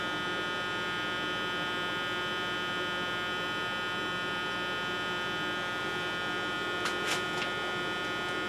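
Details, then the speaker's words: Aged slimline laptop floppy drive, no disk inserted, separate drive motor running with no belt; steady even whirr with faint buzz, no load change, because the deteriorated drive belt has broken; fix is replacing the belt. "with no disc this in and drive motor running with no belt"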